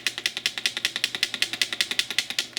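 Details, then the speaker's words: Soviet Jupiter-9 2/85 lens from the 1980s being shaken to check build quality: sharp bright clicking about eight per second from rings apparently loose between each other inside the barrel; lenses seem in place; it needs disassembly and grease. "Вроде как там все в порядке, линзы на своих местах, но я так понимаю, что здесь болтаются кольца между собой."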